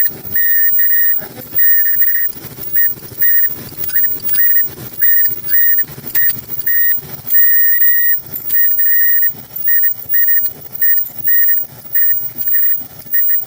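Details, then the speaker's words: Front-load dryer running: high shrill squeal chirps on and off about once a second with the drum's turn; pinpointed to the worn front drum slider; sliders to be replaced. "Yeah, that's the front. That's the front slider. It's right there. That's the point right there."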